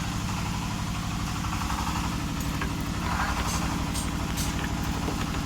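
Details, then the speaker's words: Honda Vario 125 (old model) idling with the CVT roller housing disabled: a fast, dull knock under the engine note persists, pointing to a worn connecting rod. The fix is replacing the rod and crankshaft. "Hai sobat position hari ini terdengar suara sang sadar kalau dari suara disini milik sang striker"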